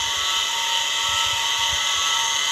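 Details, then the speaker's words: Electric water pump motor at steady speed gives a loud constant high-pitched scream and whine over the hum. The motor bearing is worn and needs replacing. "วันนี้ผมจะมาทำการเปลี่ยนลูกปืนปั๊มบาดาลเสียงที่ดังนี้ก็เป็นเสียงลูกปืนปั๊มครับ"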